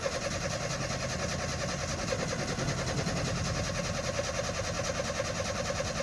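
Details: Nissan 720 pickup: long, even cranking rhythm that keeps turning over for seconds without catching. Hard starting with prolonged cranking.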